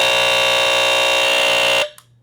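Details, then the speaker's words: Gas Sentry gas alarm, model 15500, likely Radio Shack: test should sound for a full minute, but the piercing tone lasts under two seconds and cuts out; test sounds only a short burst. "Anyway, you're supposed to let this thing sing for a whole minute. But no matter what I've tried, all it does is"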